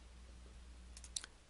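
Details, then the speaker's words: Differential side bearing adjustment: rocking the ring gear gives a few light metallic clicks between ring gear and drive pinion, showing backlash remains and adjuster must be turned further in. "you rotate the ring gear you'll hear a clicking sound that is made between the ring gear and the dry opinion it's the clunking sound that tells you that you still have backlash that needs to be taken out"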